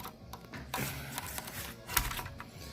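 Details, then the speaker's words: IGT S+ slot machine reel (error 61) turning with irregular light clicks and rattles. The plastic drive wheel is loose on the stepper motor shaft pin. "so I don't know if you can hear this but it's clicking sound that's this plastic wheel"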